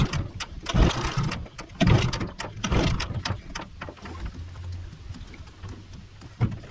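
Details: 15 hp Mariner outboard unrun for over two years, fresh fuel, before carburetor clean: irregular bursts of pops and brief firing between quieter spells, about one a second, just starting to catch; hard starting.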